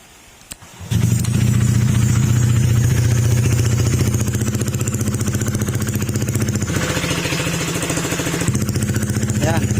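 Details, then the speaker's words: Honda ADV150 scooter just after start-up at idle: a steady metallic knock of about four per second, like metal hitting metal, partly masked by muffler noise. It is blamed on running low on oil or poor oil maintenance; engine knock. "Marinig yung tulog ng parang nag-uumpog ang bakal. Medyo hindi lang kasi pansinin yung tunog niya dahil nagpapaingay yung muffler."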